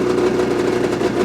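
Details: Brand-new 2026 Ski-Doo MXZ 600 EFI Sport snowmobile with 2 miles on the dash, just started in break-in mode: an even, buzzy two-stroke idle with a steady mid-pitched drone and no stumbles or knocks. It is fairly quiet and idling cleanly.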